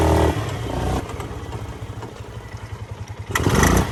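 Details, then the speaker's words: Polaris Sportsman 500 golf cart single-cylinder engine, snorkels untuned, while riding: loud rough clatter pulsing about four times a second that suddenly swells much louder; rider thought the exhaust came off, cause unclear. "sounds like the exhaust came off what the what was that i thought it blew her up boys"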